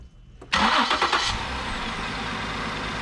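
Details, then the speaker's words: MKX with a P0301 cylinder 1 misfire, just after replacing the faulty part: a quick crank catches cleanly and settles into an even, smooth idle with no stumble or putt-putt. The misfire is fixed. "sounds so much better yeah that's the problem your things not doing putt-putt no more"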